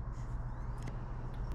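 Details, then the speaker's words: Xbox Series X with replaced disc drive, tested after repair; low, steady whir with a few faint ticks as the disc spins up evenly; normal disc drive spin. "as long as we hear it spinning it works and you can hear some healthy disk drive movement that's what a working disk drive is supposed to sound like"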